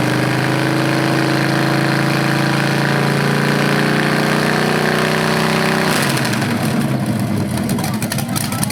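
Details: BluePrint 396 crate engine for a 1970 Camaro SS, first run after oil priming and timing check: steady even idle rising cleanly when revved, no knocks or ticks; normal, though owner hears a slight flywheel or headers difference on revs.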